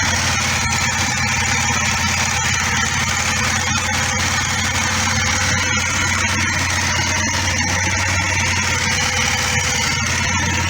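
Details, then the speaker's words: Kawasaki ER5 twin after oil, filter, air filter, plug and cap service, on choke warming up: steady, even idle at slightly raised speed, no knocks or misses; running as it should, no leaks. "so Joe car I think she sounds like she's running as she should um"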